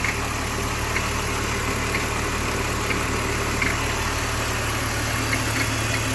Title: BMW Engine Making Noise